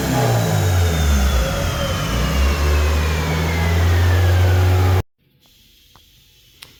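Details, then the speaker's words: Warm idle on the dyno car, carb cleaner sprayed to find a vacuum leak: idle rises and falls unevenly for several seconds before cutting out, surging from a vacuum leak. "once you hit a vacuum leak the idle is going to kick down and or stop surging which is what I'm going to show you"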